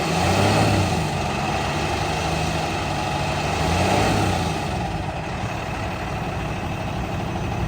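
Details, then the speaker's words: 2016 Freightliner M2 Cummins diesel grapple dump truck, 119,492 miles, start-up: steady low diesel rumble, even beat, no knocks or rattles; runs and drives as it should with no known issues, normal idle. "Runs, drives, operates as it should. There's no known issues with it."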